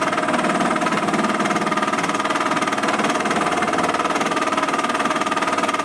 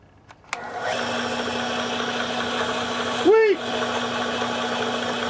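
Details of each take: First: Small benchtop import drill press boring cast iron: a rapid, fairly even rattling chatter of about two to three beats a second over the spindle; tool chatter while boring, possibly from a worn lower bearing. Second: Small benchtop import drill press after replacing its plastic pulleys: motor spins up and settles to a steady, even hum with no knocking or rubbing; running smoothly after repair.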